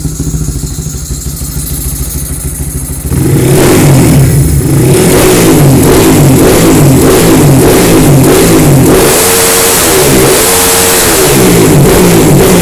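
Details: Honda CB fuel-injected motorcycle, long unable to start due to a failed injector, after fitting a racing injector and ECU remap: idle picks up into repeated blips, revs rising and falling smoothly without stumbles or popping; runs healthily.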